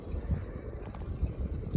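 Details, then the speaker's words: Second-generation SMC U52 hugger ceiling fan: soft low thumps about twice a second over steady hum as it turns; owner suspects worn bearings, SMCs being known for poor ones. "yeah these smcs are known for their junk bearings so let's cut a little flat switch torques so you can hear the click on it at the Globes moving"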